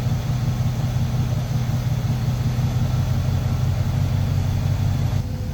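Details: Carburetor engine during mixture-screw adjustment with a vacuum gauge, starting rich with low rpm and low vacuum: a steady, deep idle with a slightly loping, uneven pulse, soft and rich rather than crisp.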